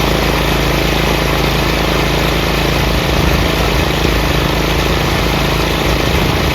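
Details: Craftsman 30-inch rear engine rider mower, after the throttle lever and PTO repairs: a steady, even drone with a low rumble and no knocks. The blades are engaged but spin quietly. Normal running.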